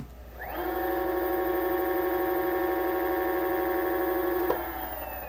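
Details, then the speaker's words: Onewheel Plus hub motor after the rattle/squeak fix: clean steady whine rising quickly to an even pitch, no rattle or squeak; motor sounds healthy. "So it sounds a lot better now. Thank you very much. I think that may have worked."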